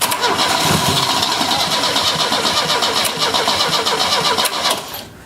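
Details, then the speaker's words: 1970 Opel GT barn find, unrun about 30 years, with the pedal held down: fast cranking with a few ragged catches as it tries to fire, then it stops. It backfired a little. "well it tried to go go ahead that was scary that was a little scary it backfired a little bit"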